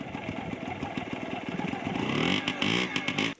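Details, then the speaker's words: Yamaha QT50 moped (78 or 80) after charge coil replacement: catches quickly and revs into a buzzy, even run before cutting off; fired right up, starts and runs cleanly. "Looks like we're ready to go. She fired right up."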